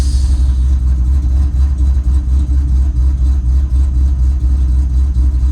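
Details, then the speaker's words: Ford Mustang Bullitt V8 idling after spark plug change, car sat about a week, coolant temperature rising toward operating temperature: steady even low rumble with no knocks or misses; normal warm idle. "so cool and temp coolants getting up there it's starting to warm up which is good"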